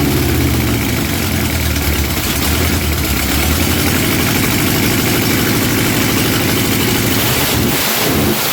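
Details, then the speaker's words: Junkyard-sourced 1977 Dodge RV 360 V8, test-run out of the vehicle on the ground after pouring gas down the carb: catches and settles into a steady, even rumble with no knocks or misses until it cuts out. It backfired once. Normal running. "don't sound too bad for an old junkyard motor somehow the starter wants to start spinning but she don't sound bad for an old junkyard motor hey that ain't bad at all"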